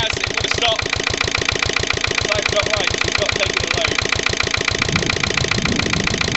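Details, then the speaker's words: Lister LD1 single-cylinder diesel on a chilly morning, after a fuel filter change and bleeding: a slow, slightly uneven thump with a busy clatter, struggling under only light load and making a smoke screen. Runs rough. "not even putting that much for on it mean that's not good at all that created a bit of a um a bit of a smoke screen"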